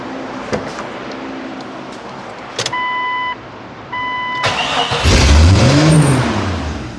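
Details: Vehicle just after exhaust manifold replacement (driveshaft failure damaged exhaust), startup: catches and immediately surges, revving to the moon instead of settling; suspected large vacuum leak.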